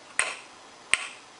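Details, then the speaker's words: Solenoid valve on a transistor cascaded switching circuit for a Digilent Uno32, 12 V supply on, input tested with a AA battery pack: two crisp clicks as the valve actuates and the lamp lights. The circuit is wired correctly and working. "You should see the lamp light up if it's wired correctly, and you should hear the solenoid valve click."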